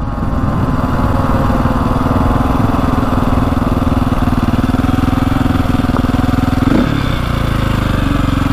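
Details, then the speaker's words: 2002 KTM 400 EXC dirt bike (sold as a 450), first test ride on a 60 mph road: uneven, lumpy engine note with a ragged beat around four per second, getting worse and worse; running badly, cause unknown. "sounding like worse and worse here there we go we're on the road that is not sounding good"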